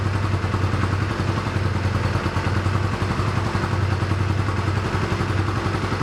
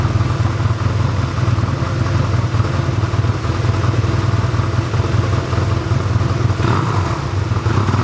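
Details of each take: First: 1985 Honda Rebel, 2,000 miles, first start after 17 years stored, cold on choke: low uneven idle that won't settle or take revs. Rough running on choke, clogged carburetor jets. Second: 1985 Honda Rebel, about 2,000 miles, first start after roughly 17 years in storage, run on reserve fuel and warming up: even, steady low thump at idle with no misses, rattles or hunting; normal idle.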